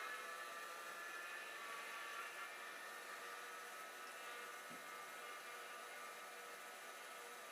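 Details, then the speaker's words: Second full-height hard drive, spinning freely after being tapped loose from stiction: steady, even whir with faint high whine, no clicks or scraping; red light off; normal spin. "So this one sounds maybe a bit better. I don't know. I'm going to be very careful."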